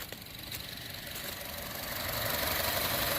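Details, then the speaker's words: Honda Civic started so the battery doesn't die. A steady, even idle under a smooth hiss, with no knocking or misses; normal idle. "so i thought i should start up the civic today just so the battery doesn't die but uh yeah she's running sounds good"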